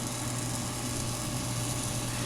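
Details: 2004 Englander 25PDVC pellet stove, auger motor that strained and groaned late in the season, after oiling its bearings at the annual service: low, steady mains-rate hum with a soft even whir, no squeal or grinding; normal auger motor running.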